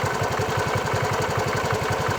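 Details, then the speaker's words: Bajaj Chetak 4-stroke scooter, hot after about 7 minutes of idling: it starts and runs smoothly at first, then idles lumpy with uneven, stumbling firing, an odd knock and misfire; black smoke is reported. "अभी थोड़ा थोड़ा इसमें प्रॉब्लम आना स्टार्ट हो गया है। ऑलमोस्ट 7 मिनट्स हो चुका है और अभी इसे हम लोग रेस करके देखेंगे। आपने देखा कि कैसे इंजन अजीब तरह का नॉक कर रहा है, मिसफायर कर रहा"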